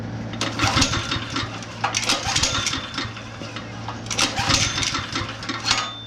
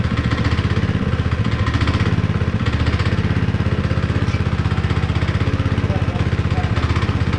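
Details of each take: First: Honda GX160 5.5HP on long-unused concrete power trowel, oil sensor disconnected (has oil): quick pull-cord cranks whir and fade with no firing; cranks but no start, spark check next. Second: Honda GX160 5.5HP on concrete power trowel, unrun for years, after repair with cleaned spark plug: steady single-cylinder thump about four times a second, even, without misses or knocks; running fine.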